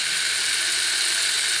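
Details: Classic Porsche door mirror motor, joystick moving mirror up/down/left/right after tracing wiring (brown-and-black common wire missing in loom, likely broken in door): short, steady high buzzing whirr under two seconds, stopping cleanly; mirror motor working properly.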